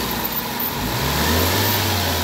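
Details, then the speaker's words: Toyota Vitz revved after repair, with parts replaced, all systems cleaned, wiring and speed sensor fixed; engine climbs smoothly from idle to a steady held rev, no stumble or jerk, quiet, and the earlier jerking vibration is gone. Normal revving. "Oh, okay yung andar. Okay na. Tahimik na yung andar."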